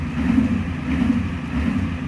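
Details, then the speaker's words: Ford 7.3/6.9 IDI diesel, already a little warm: a lumpy, wavering clatter held on throttle that never settles to idle, and it dies as soon as the pedal is released. Throttle response is fine, with a little white smoke at first; cause unclear. "response is actually pretty decent but i gotta keep my foot on the pedal or it will idle as soon as i let my foot off the gas it dies the moment my foot off the gas she's dead to rights"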